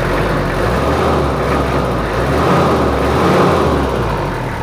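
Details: Toyota Kijang LGX 2.5 diesel idling after service, previously rough with valve clearance due; now not as rough as before: steady, even diesel clatter with no roughness or misses, ticking over smoothly, normal idle.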